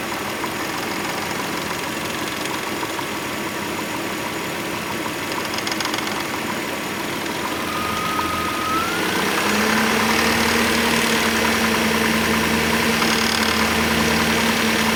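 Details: 2003 Hyundai Tiburon idling with a light, irregular rattle near the timing belt that comes and goes, sometimes silent; owner suspects timing belt or tensioner, unconfirmed.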